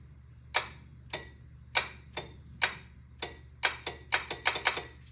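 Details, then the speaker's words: Mitsubishi 3000GT VR4 with the AC clutch relay jumped at the relay socket to force engagement for recharging; about a dozen sharp metallic clicks in five seconds over a faint hum as the compressor clutch engages properly each time. "you hear the clutch engaging, so you know that it works."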